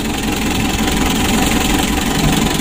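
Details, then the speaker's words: Mitsubishi L300 diesel, hot: heavy, uneven idle with lumpy shake and constant clatter; severe compression leak into the radiator and heavy blow-by, suspected head gasket or engine fault; rough idle from compression leak. "ada kebocoran kompresi walaupun teman-teman tidak melihat ya kebocoran operasinya sangat kuat sekali ke radiator dan juga mesinnya guncang parah begitu"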